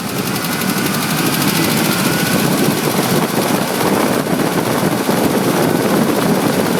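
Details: 2005 Ford F-150 5.4 V8, just under 89k miles, Motorcraft 5W-20 oil, revved: fast ticking knock keeping pace with rpm, present at all rpm; cam phasers suspected by owner and dealers, unconfirmed.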